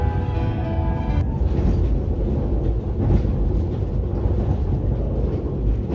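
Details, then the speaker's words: Electric regional train rolling at speed on jointed track between Smedjebacken and Fagersta, heard from onboard; heavy low rumble with dull thumps as wheels cross rail joints. "Jag blev sedan lite glatt överraskad en stund efter att vi hade rullat iväg från Smedjebacken när jag till min förvåning upptäckte att trots att det är elektrifierat här så är det faktiskt skarvspår som gäller mellan Smedjebacken och Fagersta"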